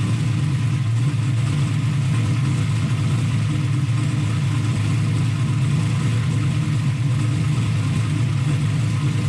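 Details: Turbo LS V8 Mustang fired up and pulled out of the shop on its own power: steady, heavy low rumble holding even throughout, no ticking or clatter; running normally.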